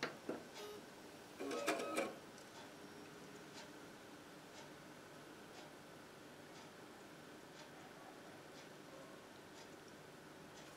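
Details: PC case fans running on 5 V via a homemade molex adapter (yellow to red) instead of 12 V, for silent operation without a fan controller; after a couple of handling clicks only a faint, steady whoosh, no rattle or hum. Normal fan at low speed.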